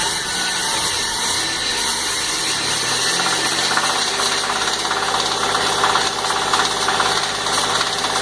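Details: 1995 Firebird 3.8L V6 running, knock began after oil light came on: uneven knock a bit under two per second over busy hissy background; rod knock from cylinder 6 found.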